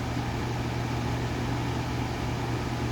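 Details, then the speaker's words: Vornado 280SS 10-inch high-velocity desk fan, mid-1990s, solid-state variable speed at full high (1.2 A, ~94 W, power factor 62-63): steady low motor hum under even air rush, no ticking, rubbing or wobble; normal running. "um okay so yeah very powerful as you can probably clearly tell very heavy duty fan"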